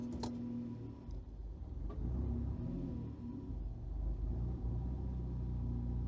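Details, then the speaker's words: Car with automatic on an ECU Master Classic ECU, coolant a little cold, idling in gear: low idle rumble sags and wavers briefly a couple of times; previously would not stay idling in gear; stumble from incorrect crank trigger edge setting. "See, stumbled a little bit there. All right. It's making it's making me look bad. Yesterday, I couldn't get this thing to stay idling after I select the gear."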